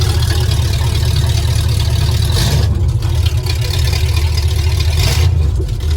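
Deep, even idle with a smooth low rumble and no knocks or misses, and a cooling fan whooshing steadily underneath; the engine is running healthy.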